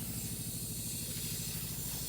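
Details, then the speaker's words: Pressurised sprinkler irrigation line being winterized, with the supply shut off and a hose bib opened. A steady loud hiss of water and air rushing out until the pressure runs out. Pressure release through open hose bib. "you can hear it releasing all this pressure. It'll run itself out of steam here in just a minute."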